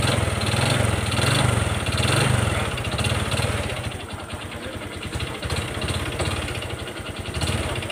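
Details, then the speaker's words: Honda Wave 125 "whale" single, blipped throttle: rough uneven knocking with a thin high whine over the idle; failed connecting rod big-end, previously rebuilt once, to be fully replaced; recorded before teardown. "นี่เสียงก้านก้านกลางมันพังครับแล้วก็ทิ้งแหลมวิ้วๆๆ"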